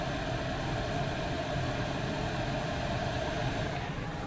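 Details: Chinese diesel heater (eBay) in a van, tank at front of vehicle, on setting three, intake heard: steady, even rush of intake and burner noise with no pulsing or misfire; running normally.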